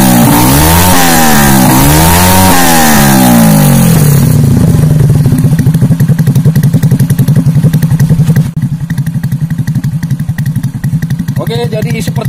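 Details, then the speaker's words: Freshly built semi-racing Honda C-series motorcycle engine (Jupiter piston, BRT T1 camshaft, double-row ball bearings, stock carburetor, ignition advanced 15°) in a borrowed Astrea: clean throttle blips, then an even putt around 220 beats a minute; normal running and revving. "itu Sampai semua respon gasnya itu sangat responsif pengapiannya saya maju kalimat 15° dan mesin ini enak sekali"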